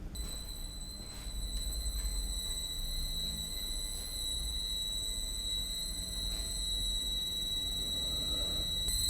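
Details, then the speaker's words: Variable-frequency drive on a wind-turbine emulator with switching frequency lowered from 8 kHz to 2 kHz: a much louder, more intense steady high-pitched squeal over a low motor hum, showing motor whine from low PWM switching frequency. "Como pueden ver, ahora se escucha un sonido, un chillido mucho más llamativo, mucho más intenso."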